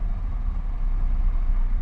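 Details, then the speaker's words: Mitsubishi Lancer with a high idle of about 2000 rpm, brought down to 900–1000 rpm by pulling the gas pedal back: low, even engine hum with no surging; owner suspects a sticking throttle body or throttle cable. "all the way to a thousand RPMs see so now it's completely down down to 900 to 1000 rpms the way it should be"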